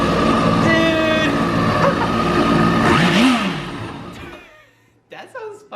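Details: 2011 Yamaha WaveRunner VX110 Deluxe jet ski, sitting for years, revived and run without water hookup: engine catches and revs high and fast with no hesitation, then winds down and stops; healthy revived motor.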